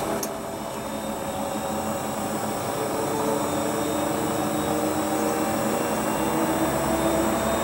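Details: Hotpoint Ultima WT960 washing machine (7kg) test spin after repair with a brand new replacement drive belt; steady motor hum and even drum whir climbing gently in pitch as spin builds, no slapping or squeal; normal spin cycle.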